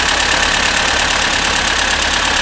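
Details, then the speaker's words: Barn-find Amazon petrol engine after piston ring replacement, clutch sorted: even, steady cold idle under hissy background, no knocks or misses. Thermostat not yet open, still warming up before an engine flush. Slight water pump leak. "yeah now the the thermostat hasn't opened up yet so we're still just warming up the engine that'll take another 5 or 10 minutes"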